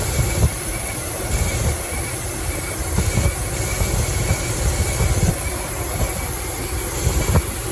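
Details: 2006 Dodge Ram 1500 Mega Cab after a fuel pump replacement that didn't fix the problem: deep uneven rumble with irregular heavy thumps and audible sparking. Rough running; unplugging one coil kills it; a wiring short is suspected.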